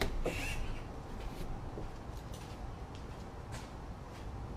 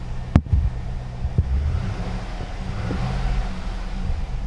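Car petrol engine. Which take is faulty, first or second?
first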